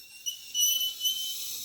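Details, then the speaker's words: Ferguson TEA20 British Standard engine during valve adjustment, turned slowly by hand with the engine not running: a thin high-pitched squeak comes and goes from the generator. "That's the generator making all the squeaky noises."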